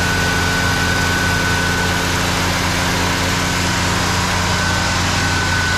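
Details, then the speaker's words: 1968 Cadillac Eldorado V8 carbureted, stored 20+ years, first start with no carburetor cleaning: smooth, even idle with a low burble and no misses, ticks or knocks; normal idle, nice exhaust tone. "There it is! Oh, it's alive! No carburetor clean needed. These automotive carburetors, they just seem to hold up completely fine when you let them sit like that. Running just so smooth too."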